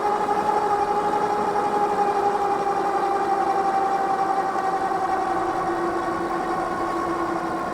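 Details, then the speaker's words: Mokwheel Obsidian ST 2.0 e-bike unlocked, on throttle only climbing a steep dirt hill: a steady high hub motor whine over wind noise drops in pitch as speed falls from 24 to 17.2 mph; normal under load. "And now a little steeper here. You can hear it winding back down."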